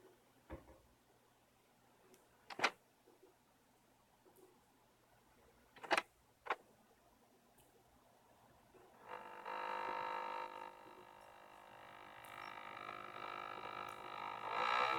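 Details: LG UP970 Blu-ray player loading a UHD disc it once played fine: a few clicks, then a loud rough buzz as the disc spins up that keeps going; a repair attempt did not fix it. Disc spin-up buzzing.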